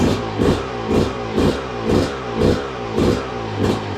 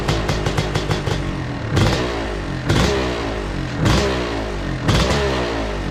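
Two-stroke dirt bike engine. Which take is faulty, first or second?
second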